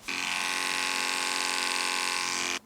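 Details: Andis Pulse clipper running a size 7 blade: steady high motor buzz; blade dull, would not cut dog hair and needs sharpening.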